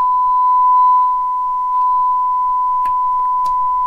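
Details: Shure M267 mic mixer rescued from a dumpster, line-level out with ground connected: clean, steady mid-pitched test tone with no hum, crackle or dropouts, just a few faint clicks; the channel passes signal fine.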